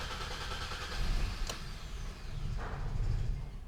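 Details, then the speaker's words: 2012 Hyundai Sonata 2.4 GDI with long crank time, low power and check engine light: two short swells as the engine catches then dies, starting and stalling repeatedly while fuel rail pressure hangs around 70 psi then drops to about 25 psi. "Another start and stall. I'm gonna do it one more time. Yeah, another start and stall."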